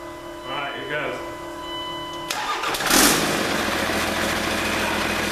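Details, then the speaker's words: 1942 Chevy truck with a Cummins diesel: after proper power is wired to the fuel pump, a short crank and it fires right off from sitting. It settles into a loud, steady idle through the straight-up exhaust with no turbo boost; healthy start. "it must have been primed because with the right power going to that pump it fired right off all right i'm happy happy happy the beast is alive"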